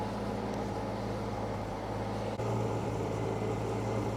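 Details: Roughly 1952 Austin 6-cylinder petrol truck with 4-speed gearbox, abandoned possibly 20+ years, restarted after cooling down; steady low rumble at an even idle, no knocks or misses, a normal idle.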